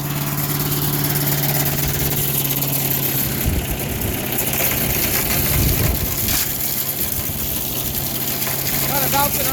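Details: Craftsman 4 HP wood chipper/shredder single-cylinder engine with a new replacement carburetor, chipping rotten sticks, not revved high: steady, even drone throughout while sticks rattle and thump; normal running.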